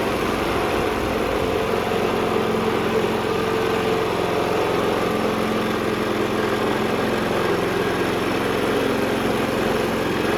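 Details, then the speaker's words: 2011 Toro 22" Recycler (model 20333), Briggs & Stratton 190cc Quantum, first run after the rebuild on a splash of fresh gas: it runs at a fast, steady beat with no knocking but heavy exhaust smoke; the owner suspects oil in the muffler burning off after sitting, and the self-propel keeps engaging. "So, a lot of smoke out of the exhaust. I don't know if that's just from it sitting and there's maybe some oil in the muffler that needs to burn off, but the self-propel is constantly moving."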